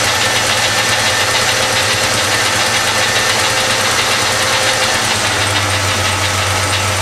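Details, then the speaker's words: 1973-87 Chevy C10 after full universal wiring harness replacement, first start: steady even idle, low hum, no knocks or misses, slight belt squeak; a rocker arm on cylinder 5 or 6 needs adjustment; normal running. "well it seems as everything is working actually I have to admit I think it's running better than it did before it needs a little bit of tune-up you can hear the belts squeaking a little bit"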